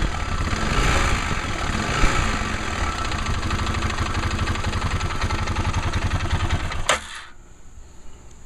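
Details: Arctic Cat 650 H1 ATV engine idling with clutch parts and belt removed: loose metallic rattling knock on the beat, then shutoff; noise seems louder with clutch and cover on; engine rattle/knock at idle.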